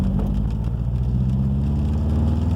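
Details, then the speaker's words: Subaru Forester after new coils, plugs and wires for a rough-running, poor-idle problem, accelerating in second gear from 1,000 to 3,000 rpm and on to 4,000: smooth even pull, no misfire; owner believes a spark issue was fixed. "Clean power all the way through to 3,000. All right, look at that. I think it's fixed."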